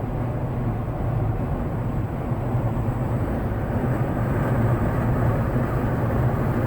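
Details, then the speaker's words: Jeep JL with Bestop Sunrider fabric top at about 58 mph after massaging windshield-frame top seal and loosening/retightening door rails: steady low wind and road roar, no whistle or flapping; much better than before, not perfect. "So now I'm going to slow back down to 55, and as you can tell, it's a whole lot better than it was. You know, I don't expect it to be perfect because it's a fabric top, you know, and these things have some noise to them."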